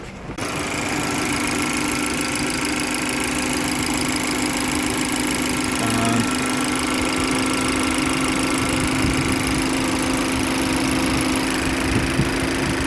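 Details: 2018 Chevy Malibu after repairing a broken vacuum pump that had thrown off the timing (cam/crank correlation codes P0014/P0017, no-crank no-start, no brake assist): it now starts every time, timing codes are gone and the check-engine light is off. Smooth, even, healthy idle.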